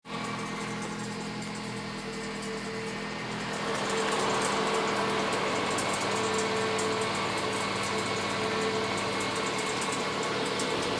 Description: My Mazda3 makes this strange noise during ignition when temperature is cold but disappears when engine warms up. I can't still make out the source of it.